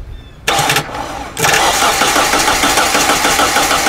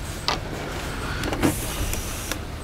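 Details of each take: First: Hyundai Elantra with a no-crank fault, after a corroded relay was found and the starter circuit was jumped: the starter spins the engine briskly and evenly at about three turns a second; normal cranking. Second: Hyundai Elantra with a no-crank fault and a known good starter: the starter relay clicks sharply a few times with no cranking; the relay box shows water intrusion and corrosion, with a wiring problem in the box; starter relay clicks, no crank.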